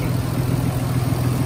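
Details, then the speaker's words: Nissan 300ZX Z32, warm after a drive, idling after fitting junkyard parts; steady, even low hum, smooth and very quiet with only a slight lope and no more ticking; healthy idle. "so this thing is idling smooth and quiet oh my god very very quiet"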